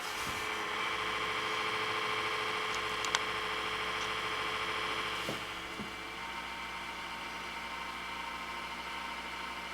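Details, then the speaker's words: Dusty HP Media Center computer; power supply like a cement mixer, constant high whirring hum with faint steady rattle, no speed change. Worn, noisy power supply fan. "That power supply sounds like a flippin' cement mixer. Now, could you imagine having to sit at your desk peacefully and that starts making that noise? That would drive you nuts."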